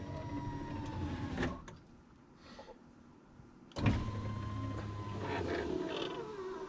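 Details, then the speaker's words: 2000 Ford F250 Super Duty 7.3 diesel power window, after loosening and moving the track: the motor whirs normally, then its pitch sags as the glass gets really slow near the bottom. Owner suspects a dirty track is binding the glass. "oh it still gets really slow at the bottom don't it I wonder if these if these are just getting kind of gross"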